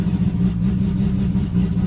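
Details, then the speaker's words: Rotary, first start after fuel pump and water pump controller work: starts easily without touching the accelerator, smooth steady low burble at idle with no misses; normal idle. "See if it fires. We are good to go. So that started up nice and easy, didn't even have to touch the accelerator."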